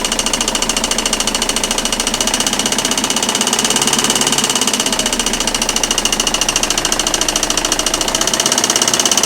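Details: Citroën Xsara 2.0 HDi 90 hp diesel at idle: a sharp, fairly even clatter of about three knocks a second from the timing-belt side, caused by a dead crankshaft damper pulley.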